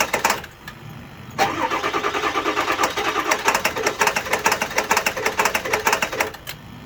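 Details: 7.3 diesel with intermittent rough idle and occasional stalling: catches after a crank and settles into an uneven, lumpy idle with irregular pulses; cause not confirmed.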